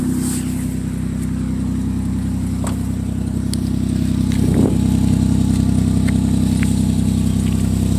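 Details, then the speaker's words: 2006 Chevy Equinox before repair, old muffler (possibly original) broken: loud, deep blatting exhaust drone swelling as revs rise; exhaust leak, fixed by muffler replacement. "So, this is the old muffler. Look at that. That was our problem."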